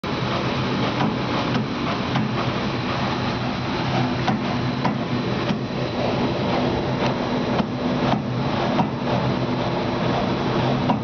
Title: Lamination knocking sound